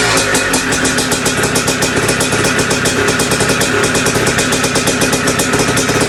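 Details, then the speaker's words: Two-stroke bike just restarted after top-end rebuild with big bore, head mod and performance gasket: fast crackling idle with loud metallic rattle over every beat, more compression. Top-end rattle later found to be just heavy vibration. "I don't like how much it's rattling up there but you can definitely hear the compression a little more with that gasket"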